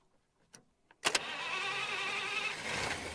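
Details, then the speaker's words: 1951 Buick Super straight-eight, sitting about 25 years, gasoline poured into the carburetor, ignition on after jiggling wires: near silence, light taps, then it briefly fires into a thin, raspy two-second run. Brief firing on primed fuel. "whoa oh whoa that was that was good she did fire up there I'm gonna add just a little bit more fuel into that carburetor"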